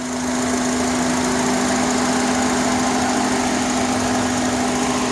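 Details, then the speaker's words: 2005 Honda Accord EX 4-cylinder at idle: a persistent steady hum that sounds like a running fan from inside the cabin, always present, cold or hot, louder near 30 mph. Owner suspects a vacuum/intake leak, unconfirmed. "Usually when I'm inside the car, I can you hear it like if it was a fan. I can like a fan, like it's turned on, but it's not. It's just that annoying noise."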